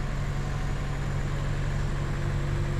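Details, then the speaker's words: 2011 Chevy Cruze with a brand-new engine, just fitted with a new turbo and no longer smoking: low idle stumbling with uneven pulses as a cylinder skips; low compression on cylinder two suspected, compression check not yet done. "it appears as if we have a near compression on cylinder two we haven't ran a compression check yet but let's see right here listen to it it starts up maybe there it is skipping here"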